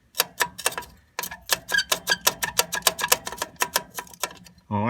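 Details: Sharp uneven metallic clicks and rattles, several a second, from the driver's side rear wheel of a truck; a rusty loose parking brake shoe inside the drum, parking brake pedal going to the floor; fixed with new shoes both sides.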